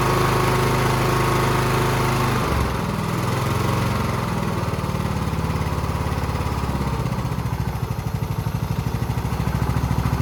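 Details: Husqvarna YTH20K46 mower with replacement 20hp Kohler Courage SV600 twin, first test run after engine swap, new air filter: even, steady low thump holding constant pace after a brief speed change, no misses; runs pretty good, normal running.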